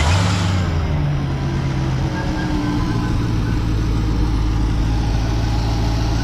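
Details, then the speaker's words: Jeep Grand Cherokee Trackhawk idling while drawing Berryman fuel system cleaner slowly through a vacuum line: steady deep idle with slightly uneven low rumble, expected roughness that can sound like damage; no real fault. "We're gonna start it up. And sometimes on some vehicles, it sounds like you broke the car or you messed up the engine."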